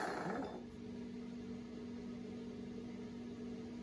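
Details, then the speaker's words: Ramsey 12,000 lb worm-gear winch for a Kaiser M715 Jeep, during rebuild, running under power: steady, thin whine of even pitch, gear whine in the gearbox. "I really hear that gear whine in there."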